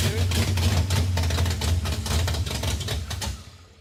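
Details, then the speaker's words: 1957 Chevy Bel Air, junkyard car, freshly installed small-block V8 run without driveshaft: lumpy uneven V8 beat runs about three seconds then dies as if fuel-starved; suspected clogged fuel pickup or sock sucked up, not confirmed. "that pickup might be clogged like it probably worked for a little bit and then it sucked whatever trash or the sock up in there and now we're getting no fuel"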